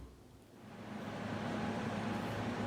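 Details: LG air conditioner after fan/blower motor replacement, unit reassembled and powered on; soft, even fan rush builds then settles into a low steady hum with no rubbing or bearing growl, blower runs normally.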